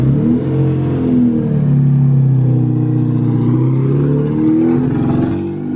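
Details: Car with a newly fitted distributor, running on fresh E85. The note rises and sags unevenly under throttle, repeatedly dropping off instead of pulling cleanly; a dirty fuel filter is suspected, cause unconfirmed.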